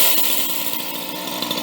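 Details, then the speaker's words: Used chainsaw with a very loose chain, revved up from idle: crisp high buzz climbs cleanly and holds without stumbling or bogging; takes off really well. "and it takes off really good when you rub it up"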